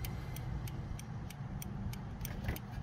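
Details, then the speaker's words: 1968 Baja Bug with LED turn signals and an LED-rated flasher relay, ballast resistor load added: crisp ticks about three a second over a low hum as the relay keeps clicking even though it isn't doing anything; the resistor gets hot. "that relay is you know that relay is still clicking along even though it's not doing anything it's because i have a load on there"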